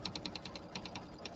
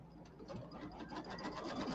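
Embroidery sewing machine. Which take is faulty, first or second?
first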